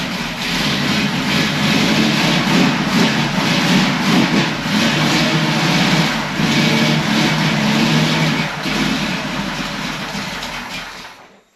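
Fires straight up and pulls through strong even revs with a deep steady rumble, no knocks or misses, then shuts off cleanly.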